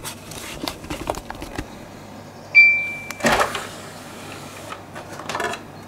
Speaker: This thing's clicking. Yeah, it's clicking like a good one.